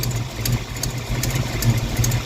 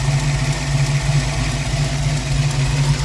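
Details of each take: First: Ford 302 V8 Mustang at warm idle after the dead cylinders were corrected: even, steady low rumble with no misses, all eight cylinders firing and heating evenly; idle slightly low and sluggish with an exhaust leak audible; normal idle. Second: Ford 302 V8 Mustang, warm, after valves were readjusted: deep, uneven loping idle stumbling about three times a second; dead cylinder (8 low on temperature gun), valves hanging open.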